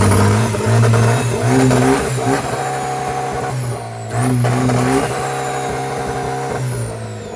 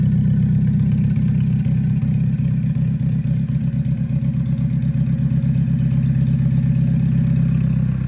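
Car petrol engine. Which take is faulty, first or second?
second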